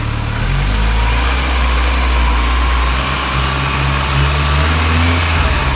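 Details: Supercharged Honda Integra project before its first drive: steady, even idle with a light injector tick over a smooth low hum; ticking thought to be injectors, engine sounds healthy.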